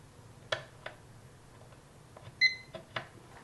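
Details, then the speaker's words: Uni-T UT161E multimeter in diode test mode, with maximum test voltage 2.98 V and 755 µA current: scattered clicks, then one short high chirp as the light turns green, signalling a good diode. "Well, with all of them, when the light turns green, it chirps."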